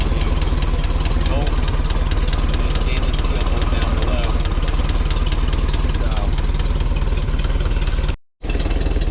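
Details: 1961 VW Beetle flat four idling after swapping a worn aluminum pulley for a stock steel pulley, stainless bolt and new 905 toothed belt, shims set for alignment: steady even putter, no squeal, slap or belt chirp; running clean.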